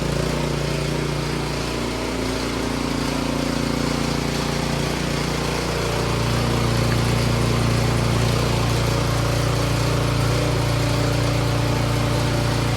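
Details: Troy-Bilt 24-inch snowblower after tune-up, clean carburetor and timing checked: small single-cylinder engine runs smooth and even, settling from low idle into higher speed; healthy running.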